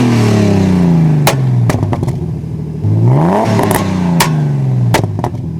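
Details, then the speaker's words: BMW E36, M50 turbo with GT35 turbo, January 5.1 ECU: ignition retarded to -19°, idle control valve opened wider and fueling leaned; revs climb and drop with sharp loud exhaust bangs on each throttle lift. "so this is result what we tried to get so with all these steps you can do it by yourself with any AC that your car have"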